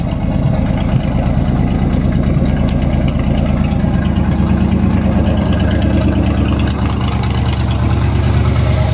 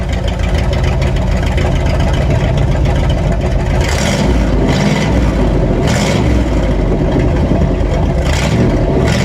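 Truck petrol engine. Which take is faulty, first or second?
second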